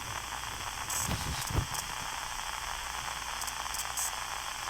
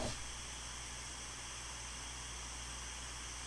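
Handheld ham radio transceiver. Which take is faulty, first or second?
first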